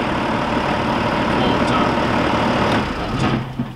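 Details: John Deere 7200 tractor with an intermittent no-crank fault (key turned 20–30 times) traced to the starter circuit; steady, even diesel clatter settling into a smooth idle, no misses or knocks; engine sounds healthy.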